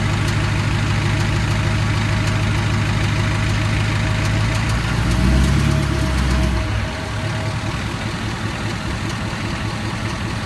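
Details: Ford 6.7 diesel truck engine at idle: a steady, repeating click rides over the low rumble; the cause is unknown.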